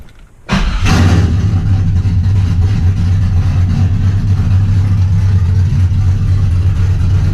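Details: Trans Am after replacing the corroded knock sensor with a new GM AC Delco part and a new harness, old code cleared: engine catches at once and runs deep, steady and even with no knock, tick or miss; healthy.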